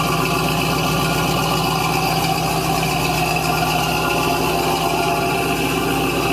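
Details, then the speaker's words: 1970 Cadillac Eldorado carbureted engine on cold start, 3-step carburetor with choke set: steady, even fast idle with a smooth exhaust beat, no misses or knocks; still on high idle while cold, normal cold fast idle. "It's still on the high idle because the engine's still cold. The choke hasn't come off yet."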